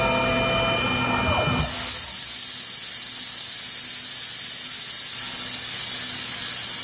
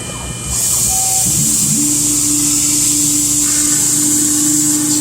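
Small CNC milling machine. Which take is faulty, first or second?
first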